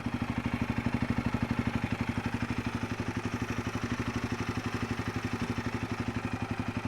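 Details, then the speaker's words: Royal Enfield Himalayan 450 single after the harsh tick-tick top-end noise was fixed: even, regular thumping idle about four beats a second, no ticking, clear exhaust note; normal idle. "But now after the tick tick tick sound is fixed, I can hear the exhaust so clearly and motorcycle sounds like a like a real thumper if you know what I mean."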